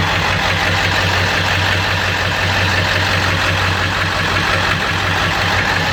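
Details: 7.3 diesel running rough: steady idle with a heavy low drone and uneven lumpy beat. Knock like a rod knock, puffing raw-diesel smoke, good EGTs and no power are reported; cause unknown.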